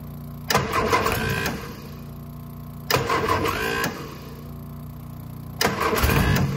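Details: Innocenti S Spyder long stored, fuel line checked and air bled from the fuel system, choke held: starter grinds through three cranking bursts with pauses, never catching; hard start, likely from fuel delivery.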